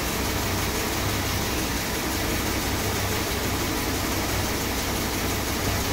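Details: Rebuilt 440 big block V8 in a 1966 Chrysler New Yorker, first start just after install: deep, even idle with steady low burble, no knocks, ticks or misses; normal idle.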